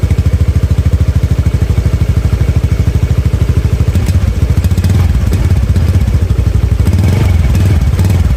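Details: Honda Beat FI scooter with unstable, hunting idle, after spark plug change and manual ECM reset: single-cylinder putt about three beats a second holding steady; idle now stable, though still reluctant on snap throttle.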